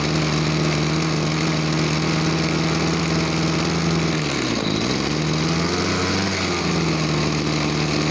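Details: Small two-stroke farm water-sprayer engine that lacked power and ran poorly when throttled; after cleaning and adjusting the air setting screw it buzzes evenly, dips briefly in speed, then picks straight back up and holds a clean, steady run.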